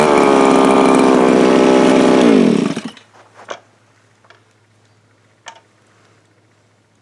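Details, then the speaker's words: Viper ice auger two-stroke under repair: runs buzzily and steadily, then the pitch sags and it quits within half a second. Stalling; owner thinks it is leaning out and running out of gas, though it also sounds a little rich and runs harder on choke. Cause suspected, not confirmed. "So that sounds to me like it is lean and leaning itself out. But it also sounds a little rich, but if you run the choke, you can run it harder. So it's just running out of gas."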